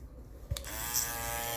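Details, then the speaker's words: Andis Master cordless clipper after the noise fix, blade refitted but not yet oiled: switches on and settles straight into a smooth, even buzz with no rattle or knocking; quiet, healthy running. "It's pretty quiet."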